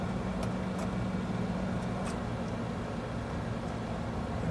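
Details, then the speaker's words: American Standard/Trane outdoor AC condensing unit, 246 V supply: a steady low electrical hum with no motor spin-up. The compressor is trying to start without its run capacitor and fails to start. "You might hear the compressor humming trying to start, but um without the capacitor, it's it's not going to be able to."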